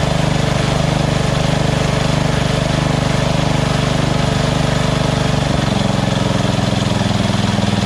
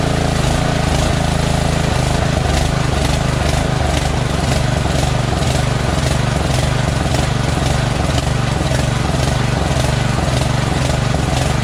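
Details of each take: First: Small single-cylinder engine at lowest idle setting after the surging carb was replaced with a Chinese-copy Nikki 590399, O-ring manifold and backward curved fuel nozzle: steady thumping beat, no hunting or surging; stable idle. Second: Push mower, recently cleaned oil-saturated air filter: engine note swells and sags about twice a second, never settling; runs well only with choke flap almost closed, so carburetor is dirty with a blocked passage causing lean surging at idle.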